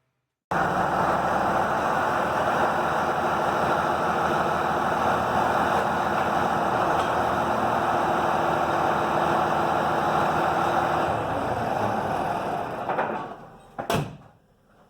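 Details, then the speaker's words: 2005 Dodge Ram 3500 5.9 Cummins after water pump, tensioner and fan belt replacement, warmed up: steady, even diesel idle with smooth regular beat, no knocks or squeals, then shutdown; normal idle. "Got some engine temperature coming up heating the cabs. Everything seems to be circulating."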